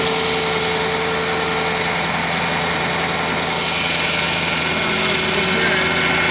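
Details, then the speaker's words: 2005 Mercedes S500 after alternator and starter replacement with the belt removed and refitted: steady harsh grinding hiss at idle from the front of the engine; owner suspects the water pump, not confirmed; grinding noise at idle. "now I'm getting this grinding noise coming from this area right here I think this is the water pump hose"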